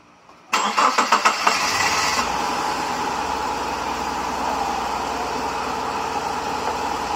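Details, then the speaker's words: 1998 Subaru Forester with a rebuilt EJ25D engine from a 1999 Legacy, on its first start after the swap, catches after a few cranks and settles into a lumpy, ragged idle. Someone says it is running on only two cylinders; the cause is not confirmed. "he's like we're only running on two cylinders all right fire it up again try"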